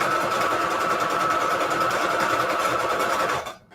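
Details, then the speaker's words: Sewing machine straight-stitching pockets, overdue for cleaning: steady stitching at about three and a half beats a second with a loose rattle that sounds about to explode, rattling less at higher speed. "okay it sounds like it's about to explode i don't like that sound at all"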